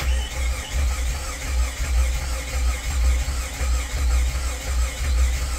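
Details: Jeep with a crank-no-start condition, scan tool showing no engine RPM and possibly low battery voltage: slow starter cranking with an uneven, lopsided whump rhythm, alternate strokes lighter than the rest; low compression on alternate cylinders.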